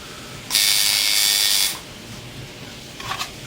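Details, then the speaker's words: Tattoo shader machine tuned by the nickel-gap method, power pack at about 13: a crisp, steady high buzz with even pitch and no stutter. The machine is running right. "Generally, I call mine darling when it's running right. And you [ __ ] hoer when it ain't. That's darling there."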